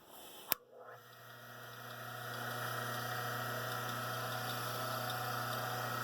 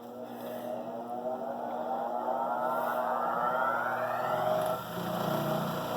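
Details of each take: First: Rikon slow-speed grinder run with the grinding wheels removed to check for bearing issues: click at switch-on, then a smooth, steady hum with no wobble; motor seems fine, and the wobble is suspected to be in the wheels. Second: Rikon slow-speed bench grinder clamped to the workbench with F-clamps, side covers off, wheels diamond-dressed and running concentric yet still vibrating; motor spins up with rising whine then steady hum with faint pulsing throb from an out-of-balance wheel.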